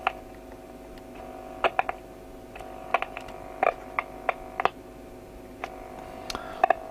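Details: Hacker Herald RP30 radio under repair, amplifier works after short cleared but AM receives no stations; steady low hum broken by handling clicks; mains hum with no reception.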